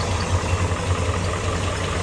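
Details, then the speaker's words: 1957 Chevrolet 3100 with 350 V8, aluminum heads, headers, dual exhaust: steady, even low burble at idle, no misses or knocks, running smooth. "Pretty clean setup here. Running smooth."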